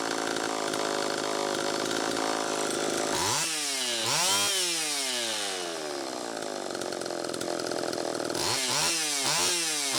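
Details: Homelite Super EZ chainsaw after the carburetor was fixed and the high needle reset from about four turns out to one; screams high steadily, then pitch sweeps down and surges unevenly, running lean. Crankshaft seal air leak suspected, likely flywheel side.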